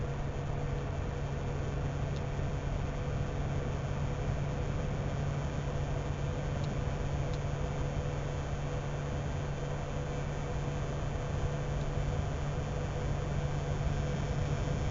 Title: Buzzing sound - PSU or GPU